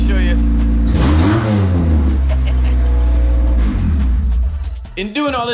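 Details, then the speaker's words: 1990 Honda CRX Si with ZC DOHC engine after new clutch and flywheel and transmission refit to cure a release-bearing squeak: revs rise and fall smoothly as the clutch engages in first and second gear, no squeak. Quiet clutch engagement. "th the clutch oh yeah there we go nice and quiet second [Music] gear and we are rolling out there that is awesome finally no squeaking noise"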